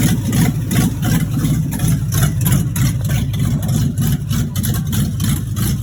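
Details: 1986 Chevrolet Monte Carlo SS V8 at idle, running about 3–4 minutes, with a low, uneven knock through the rumble at roughly three beats a second. Driven about three days with a bottom-end knock. Rod knock.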